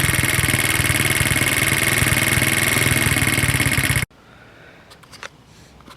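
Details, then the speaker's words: 1970 Honda Z50 being restored, first start attempt: small single thumps at about four beats a second, choppy and uneven, then cuts out; owner says it's got to be the points, spark plug found very sooty. "Gas I don't know, it's gotta be points. It's gonna run like that shitty."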